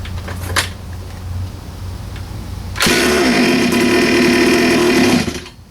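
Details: 47cc Chinese pocket bike two-stroke, fuel on, choke open, some throttle: fires with a rising buzz for a couple of seconds, then sags and dies, bogging instead of revving; owner suspects clogged carb jet.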